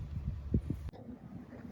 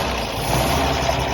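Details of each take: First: Restored 1929 Chevrolet International truck, first start attempt, metering jet just loosened after being screwed in too tight; spark advance not pulled out: slow cranking, a brief rough catch, then it fades; fuel starvation. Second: Restored 1929 Chevrolet International truck, six-cylinder, first start in a long time after fresh fluids: short stretch of even, low idle rumble with no knocks or stumbles; normal idle.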